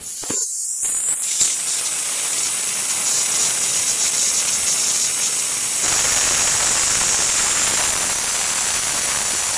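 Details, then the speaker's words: Mercedes Actros truck AC not cooling, overcharged with refrigerant and still too much after earlier venting: loud steady high hiss with no engine beat as more refrigerant is released. "अभी भी ज्यादा है और नीचे आनी चाहिए अभी भी रिप्रेजेंट की क्वालिटी ज्यादा है और थोड़ी सी रिलीज करते हैं"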